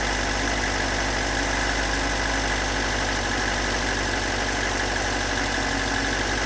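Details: Stock unmodified bigport blue-top 4AGE in a Toyota AE86, about 195,000 km on the swapped clock, regularly maintained: uneven, lumpy rough idle with a steady tapping knock, recorded from cold to warm; owner cannot locate the cause.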